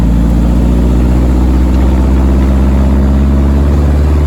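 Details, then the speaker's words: VW air-cooled Deserter GT dune buggy after replacing throwout bearing, pressure plate and clutch disc, test drive: steady, deep engine note, even beat, no rattle or bearing noise on clutch pedal; repair successful. "All right. So, the rattle's gone. Um, and the noise when I step on the clutch is gone, too."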